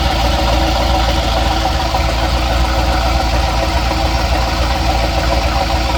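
Idling engine with a loose, fairly steady knock, about three to four a second over the low rumble; the cause isn't clear.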